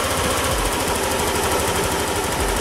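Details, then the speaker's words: 2021 Yamaha XMax 125 (Blue Core) at 11,000 km, starting on a fully charged battery: it fires and runs with a fast, even, buzzy beat and no knocks or rattles, healthy; a small coolant leak, possibly from a porous casing, was noted afterward. "j'ai la donc la batterie qui est au top de sa forme je vais le démarrer"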